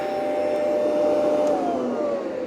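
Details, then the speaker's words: Rainbow PN12 power nozzle after refurbishment and new belt installation: steady even motor hum, clean mid-pitched tone, slight sag under load but never near stopping; brush roll runs healthy. "Yeah, there's definitely a speed difference, but uh it doesn't go down to, you know, barely moving. Love it."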